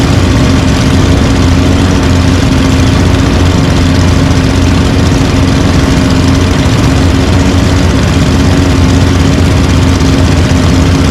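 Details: Several small engines (mowers and yard equipment) idling together after winter storage, unused since December with fuel stabilizer added: an even, low drumming rumble with no misses or knocks. Normal idle.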